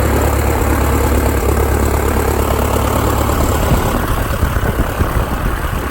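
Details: 1946 J-3 Cub engine at first start after a four-year restoration, outdoors: a steady low drone with even firing and some wind rush, holding smooth through the run-up. Mags and carb heat checked good, temperature a little over 100. Normal engine run-up.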